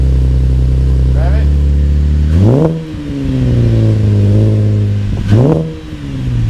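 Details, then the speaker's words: 2013 Camaro LT with LFX V6 after installing Solo Performance high flow cats (resonators retained): steady idle then two clean blips rising and falling smoothly, no misses or rattles; normal start and rev, sound barely changed. "It didn't really change the sound all that much. I guess with those resonators, it doesn't really change the sound."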